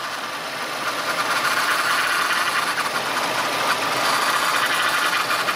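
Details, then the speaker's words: Mazda idling with a bad power steering pump: constant harsh whining hiss that never lets up and worsens when the steering wheel is turned under pressure; the pump was then replaced. "this is the noise of a bad power steering pump and you can definitely do it under pressure"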